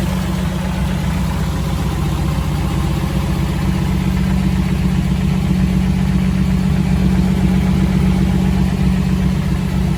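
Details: 1984 Jeep CJ7, frame-off restored: smooth, even idle with gentle rise and fall under light revs, no knocks or misses; healthy engine, normal idle with revving.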